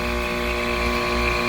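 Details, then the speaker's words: DIY 3-phase VFD-powered two-stage heat pump, compressor running: strong metallic hum with high tone, unchanged when compressor is moved; owner suspects loose metal rubbing rather than compressor. "something this compressor when I move it doesn't even change the sound so I think the compressor is good but something metal wise is really"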